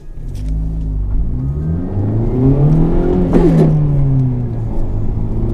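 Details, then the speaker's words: 2017 Honda Civic Type R (FK8): engine pulls hard in first, then a short harsh grind on the 1st-to-2nd upshift, occurring randomly at high or low speed; dealer attempting a fix. "first one is the first to second gear grind now this happens randomly when it's going fast when you're going slow"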